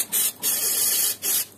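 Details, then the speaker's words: Heating radiator (combi boiler system) bleed valve opened during pre-winter maintenance: sharp steady hiss in bursts as trapped air vents out. "İçindeki havalar böyle ses geliyorsa bilin ki içindeki hava dışarı çıkıyor artık."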